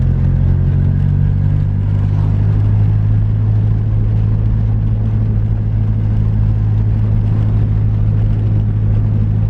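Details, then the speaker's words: Nissan 240SX after fix, driving slowly uphill on rough road: steady engine rumble, no suspension thump; front passenger coilover clunk was from untightened lock collar leaving preload off. "no thumping sound which is good even though i'm driving slow but either way when i would drive slow i would hear like a loud thump so now that we got that fixed"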